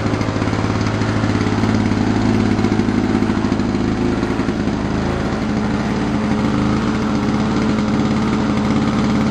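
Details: 1987 Lawn Boy mower, model 4262, two-stroke, after carburetor cleaning and governor spring replacement that cured stalling, plus a fuel bowl repair: crisp, even buzz at steady speed with no surging or misses, holding its speed.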